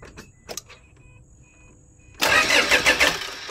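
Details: 2008 Toyota Fortuner diesel, cranking after replacing thin, pinched suction control valve O-rings (no fuel from pressure pump before; shop had blamed pump): two seconds quiet, then harsh rapid starter churning, not yet catching; it then started.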